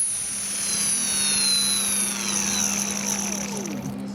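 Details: Align 450M RC helicopter motor winding down after the upper and lower main shaft bearings were replaced; high whine with rough scratchy grinding underneath, owner suspects the motor's internal bearings have failed.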